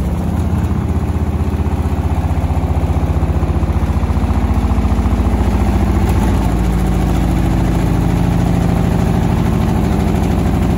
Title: Beko washing machine banging problem